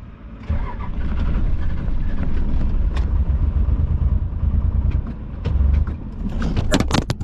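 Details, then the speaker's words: Diesel hotshot truck shut off climbing a mountain despite gauge showing 43 miles to empty and 18% fuel; loud low cranking churn catches about 2 seconds then dies; out of fuel. "I think we got it. Definitely out of fuel. I started it, I got 2 seconds moving, and mother, I don't even know what to do about this one."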